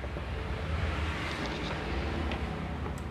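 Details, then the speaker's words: H&L Pro120 IGBT welder after repair of fault making 24 V supply fluctuate (relay clicking, blinking power light): powers on, power light on, cooling fan spinning; steady whoosh and hum, no relay chatter; output then measured 78 V. "ini dia udah nyala lampu for udah nyala ya terus kipas juga udah muter"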